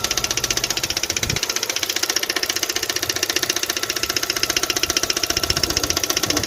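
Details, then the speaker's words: Kia/Hyundai G4FA/G4FC engine: sharp, regular metallic knock at idle, about two and a half per second, from cylinder number three's failed valve guide in the head, metal debris in the combustion chamber; bottom end, pistons, crank fine. "so the problem it was coming from uh from the head uh the noise it was coming from the uh uh cylinder number three it drove to the valve uh the fall fourth guide"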